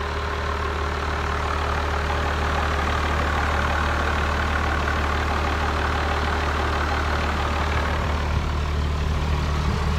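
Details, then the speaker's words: Drew's 1994 Dodge Cummins 12-valve diesel with no power, running poorly cold and hot and smoking blue: steady low idle, hardly any rattle or knock, suggesting injection timing slipped back to about five to eight degrees BTDC; retime planned. "this thing is hardly rattling at all I can twelve out so a lot of times when the timing slips it goes so like five to eight degrees before top dead center and that quiets down the motor"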